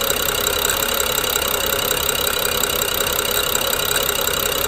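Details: BMW N55 with a jerky, rough idle: fast, uneven clicking with a grinding edge, suspected to come from the Valvetronic gear and eccentric shaft. Coils, plugs and VANOS solenoids were replaced with new OEM parts within the last 5000 km, with no change since purchase in September 2019.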